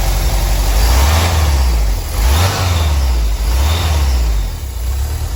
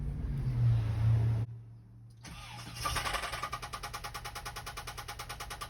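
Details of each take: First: 1985 VW Vanagon Westfalia with newly swapped 1.9 engine and rebuilt three-speed automatic: smooth even note rising and falling cleanly with throttle, no knocks or misses; runs and drives well. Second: VW Vanagon Westfalia with stock 1.9 engine, believed blown, about to be swapped: rough start, then idle settles into a loose, heavy knock at about three per second; badly knocking engine, cause unconfirmed.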